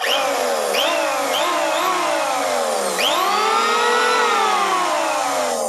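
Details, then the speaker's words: New Yoca electric hand planer, just unboxed and first switched on at no load: the motor spins up cleanly to a smooth, even high whine with no rattle or scraping; normal running. "दोस्तों, इस planar की आवाज़ शानदार है।"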